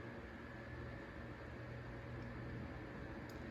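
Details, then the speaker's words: Mainstays 9-inch high velocity fan on low speed: soft steady hum, airy rush, faint whine with slight rotor noise; bearing rattle and rotor rub appear only at higher speeds. "And it moves a pretty good amount of air, even on the low speed, although I can hear that rotor noise just a little bit."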